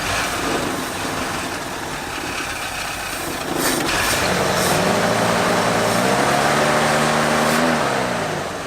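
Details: 1973 Ford Bronco 302 V8 after 10 years in storage, nonworking carburetor idle circuit: mixture screws opened from 1¼ to 2 turns out, idle rises from low and uneven to steadier and higher but still hunts; a band-aid, idle not truly sorted.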